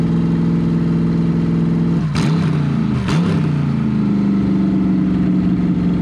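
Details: C5 Corvette V8 drivetrain run out of the car with open headers, second start; loud steady idle with two quick throttle blips that rise and settle cleanly; all eight exhaust ports checked hot; normal idle and revving.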